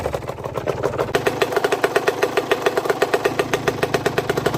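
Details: Aprilia RS 125 two-stroke at idle: a sharp, even knock about eight per second. Small-end and big-end bearings were already checked and the source is still unknown. Engine knocking.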